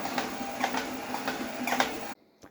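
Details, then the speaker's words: Torneo Inita T-150 treadmill at 4 km/h walking, before repair: short squeaks in step with left-foot strikes; cause was loose deck screws on the left side, squeak stopped after tightening them. "вот я подтянул вот эти вот шурупы и скрипт прекратился"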